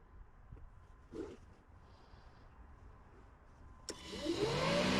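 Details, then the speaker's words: 2017 Ram ProMaster City Tradesman with fan previously stuck on high: relay click then rushing air roar to a strong steady whoosh during scan-tool actuation test; fan works on high and turns off, low speed not working. "Alright, so high works. And it turns off."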